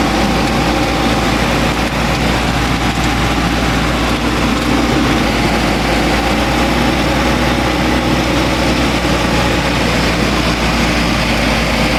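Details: 1985 GMC S15, 2.5 four-cylinder, 31,000 miles, straight-piped after the plugged catalytic converter was removed, suspected head gasket issue: steady drone holding a fast idle. High idle; owner suspects the idle control valve.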